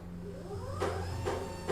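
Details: Pride Quantum Q6 Edge 2.0 power wheelchair with 6 miles of use: the electric recline raises the backrest with a low steady motor hum and a soft, even rising whir. Recline actuator working normally.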